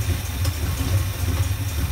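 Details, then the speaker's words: V8 with HEI distributor after replacing the distributor (suspected bad internal ignition coil, no-spark no-start), not yet timed: deep, even idle with no skips or knocks; now starts and runs normally. "right guys so as you can see it was running"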